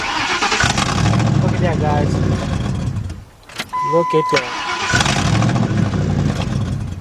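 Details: 1997 Ford F-150 4.6 V8 with a no-crank, no-start complaint: starter spins it with a quick, even churn, then it catches and runs steadily once the shifter is pushed fully into park; the neutral safety switch position was the cause.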